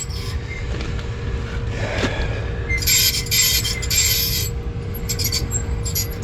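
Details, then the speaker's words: Belt-driven restaurant make-up air unit with an apparently 3 hp motor and a worn, ridged, grooved pulley: thin steady tone over a low rumble with scratchy high bursts. The motor sounds unhappy and may have overheated; a bearing squeal is suspected. "because I'm thinking oh all I gotta do is squeaking because of the pulley pulley's wasted all ridged and grooved he needs a new pulley"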